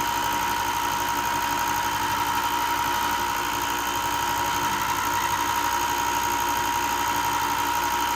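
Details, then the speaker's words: Ryobi 4x36 bench top sander, just over a year old, after replacing a burnt bearing that caused loud clicking; steady motor hum with a clear high tone and even belt hiss, no clicking or knocking: normal running. "Okay, it seems to have fixed it. I don't know if you can hear the difference on there."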